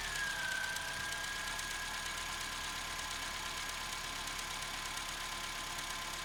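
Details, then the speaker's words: Opel Corsa 1.2 16V, cold engine, after spraying the connectors to fix a cold-start misfire: catches first try and settles into an even, steady idle with no misfire or stumble, faint whistle at first; normal cold idle. "Here, it looks like we managed to resolve the situation. The car started at first."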